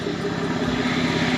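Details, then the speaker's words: BMW M240i B58 with upgraded turbo and port injection, first start after fitting 33% larger Nostrum injectors: no fuel leaks, no dash lights, even steady hum with no stumble or vibration; normal smooth idle. "so sweet no lights on the dash we got a nice smooth idle perfect beautiful"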